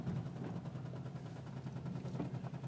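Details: 2009 Subaru WRX idling with a deep, rapid knock in time with the engine; it ran out of oil and spun a rod bearing.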